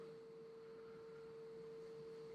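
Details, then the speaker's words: Kubota V2403 diesel swapped into TJ Wrangler, ignition on while bleeding fuel system after injection pump timing adjustment, bleed valve open: faint, steady mid-pitched hum of the electric lift pump running normally. "I'm gonna turn on the car you'll hear the fuel pump come on I'm gonna open this valve and you should hear like a faint swooshing sound"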